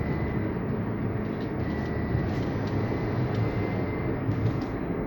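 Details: Toyota Yaris: a faint thin whine over a heavy low drone, heard only when pressing the accelerator and coming and going with throttle; whine under acceleration.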